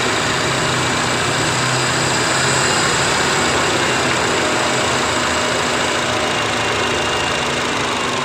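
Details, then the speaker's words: Idling Honda Jazz (probably 2006) petrol engine with CVT automatic, owner's complaint noise and shaking when shifting to R or D; idle lifts and eases as the adjuster is shifted right (higher) or left (lower), target about 1100, max 1500 rpm. "ini kalau kita geser ke kiri itu dia akan lebih rendah ya kita geser ke kanan dia akan lebih tinggi rpmnya"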